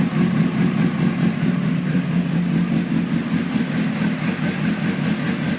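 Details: 2003 Honda CBR 600RR with electrical issues: low, throbbing idle that rises and falls unevenly instead of holding steady; rough idle, cause not yet pinned down.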